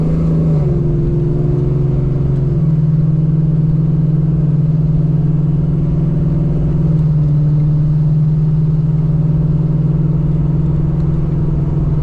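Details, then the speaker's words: Coyote-swapped 1991 Ford Mustang Foxbody on its first test drive with a new exhaust and a swapped, unlocked computer: strong steady engine drone whose revs hang and sag slowly after lifting off the gas, attributed to the transmission being set permanently in sport mode. "One thing you guys are pro probably noticing is the RPMs are kind of just hanging out a lot after I give it some gas. That's because the guy that uh essentially unlocked the computer that I'm using right now, he just put the transmission in sport mode all the time,"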